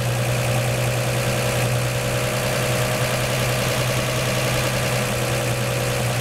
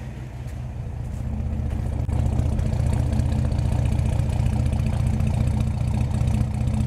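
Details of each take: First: 1949 Chevy 3100 idling after swapping its Pertronix Flamethrower distributor advance springs to high-range copper for earlier mechanical advance; smooth, even low rumble idling slightly high, seemingly from the added advance, no misses or knocks, seeming to start easier. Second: 1949 Chevy 3100 with Pertronix Flamethrower distributor, timing 12° BTDC, idle set to 600 rpm: low throaty uneven lope about 2.5 pulses a second; 600 rpm too low, raised back to 650.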